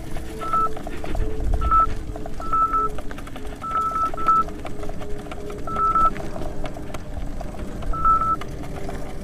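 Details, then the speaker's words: 84 V Nikola electric unicycle on a tough climb, board 42–45 °C: short high beeps, single and in quick pairs, at irregular moments over motor hum, the overcurrent warning. MOSFETs later blew on Overheat Hill. "okay first Hill first Hill done it's a little disconcerting you all the ampere alarms going off compared to what I'm used to let's just hope the electronics can handle it"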